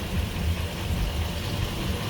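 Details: 2007 Ford E450 6.8L V10 after replacing fuel pump (burnt wires, no filter) that caused dying after 15 minutes; low even idle rumble, no miss, normal, fuel pressure solid.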